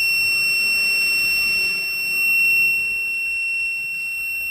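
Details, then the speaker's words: Arduino fire alarm with flame and gas (smoke) sensors: gas sensor triggered, driving the relay and a continuous, unbroken high-pitched buzzer tone; the gas alarm works. "For the gas sensor like this. Okay, it's work too."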